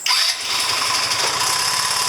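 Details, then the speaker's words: 2009 Genuine Buddy 125 scooter after CDI replacement fixed its starting: engine catches instantly and settles straight into a steady, buzzy idle; starts right up every time. "Works right up every time."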